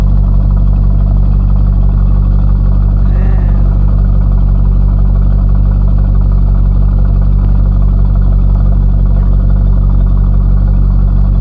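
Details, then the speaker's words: 1998 Corvette C5, first start after harmonic balancer replacement; engine hadn't been running, warming up, temp around 220–240°F, cooling fans possibly not running: deep even engine note held at moderate revs, smooth firing, no knocks or misses; normal revving. "for now um it seems to be running fine everything's looking good sounding good"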